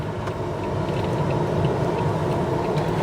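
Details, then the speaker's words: Car driving on a 25°C day: a steady rushing hum of the air-conditioning blower running flat out drowns out the faint engine drone and road noise. "Yeah, the air con's going like the absolute clappers at the moment."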